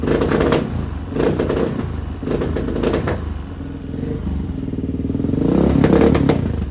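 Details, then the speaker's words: 1986 Honda HRC XR628R single with dual carbs, needle clips just richened, revving in neutral: rumbling single, each rev burst brings irregular pops and crackles, idles fine; popping worse than before, jetting cause not pinned down. "Lots of popping. It'll idle fine."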